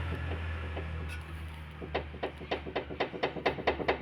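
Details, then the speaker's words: Volkswagen Polo with knocking over bumps and front tyre wear: light hollow knocks about two a second as the front wheel is rocked side to side; steering rack end play, worn inner rack end. "കിടു കിടു എന്നുള്ള sound കേൾക്കുന്നുണ്ട് അതായത് നമ്മൾ അങ്ങോട്ട് press ചെയ്യുമ്പോൾ sound കേൾക്കുന്നുണ്ട് ഇങ്ങോട്ടും ഇതാണ് ഇതിന്റെ റാക്കിന്റെ പ്ലേ"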